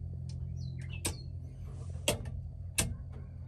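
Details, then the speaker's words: Holley Terminator X EFI system in an S10 with trans brake and bump button wiring, ignition switched on, fuel pump priming: four crisp relay clicks about a second apart over a low hum, each switching cleanly; relays working normally. "let's fuel pump run for a second and maybe up in here all the relays clicking so"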